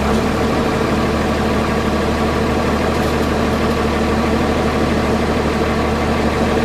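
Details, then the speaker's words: Cummins diesel just started at the same cold temperature with grid heaters disconnected but block heater plugged in: steady cold idle with an even low rumble and no misses or stumbles, a little smoke; normal cold idle. "There you go. That's how much difference a block heater makes. It has no grid heaters plugged in at all right now. There's definitely a little bit of smoke."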